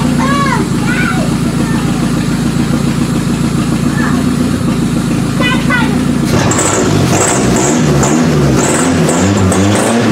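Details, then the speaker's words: Toyota Camry demolition derby car on limited wiring, power jumped to the computer after an electrical no-start: runs steadily but rough at idle in park, then turns uneven about six seconds in. Engine hesitation. "when you Flo she kind of's got a hesitation so let's see how she goes"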